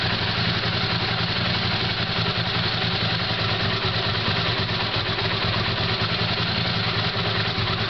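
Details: Honda CX500 V-twin after carburetor installation, new thermostat with slight vibration in its housing: slow, even idle with a steady loping beat and light mechanical clatter, nothing missing; normal idle.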